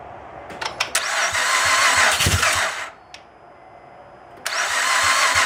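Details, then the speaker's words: 2008 Honda Pilot, first start after an engine swap, fuel pump confirmed on: cranks and catches with a few pops, dips quiet briefly, then picks back up to a steady, even run; normal start and run. "Oh, it sounds good though."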